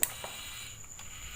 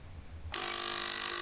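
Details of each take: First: 3000W voltage stabilizer, replugged: sharp click at power-up then lighter ticks over faint high whine; no harsh noise, output 220 V, relay switching normally. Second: 3000W voltage stabilizer before repair: works and output rises, but harsh rapid buzz from power-on; relay chatters, suspected failed electrolytic capacitor leaving relay supply low, to be replaced (470 µF 50 V tried).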